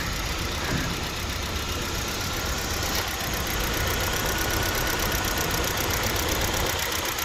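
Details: Hyundai Verna at idle with the check engine light staying on: uneven running with irregular soft stumbles and ticks about three to four a second over the hum; an engine misfire.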